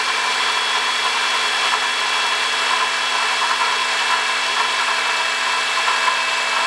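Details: 2005 Honda Odyssey at 268,167 km: constant high-pitched whirring hum with steady whining tones and no low end from a worn water pump bearing; noise gone after replacing water pump, thermostat, thermo switch and coolant.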